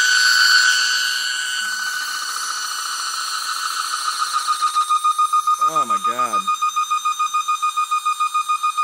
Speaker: you are about to hear the loudest screeching noise that you have ever heard once the sound supposedly kicks on once it hits windows is when it happens